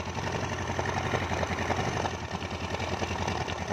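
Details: Yamaha Mio carburetted scooter engine just rebuilt and reassembled, valve cover still off to check oil spray: quick, even putter at idle with light mechanical clatter and no knocks or misses; oil reaches top, oil passages fine.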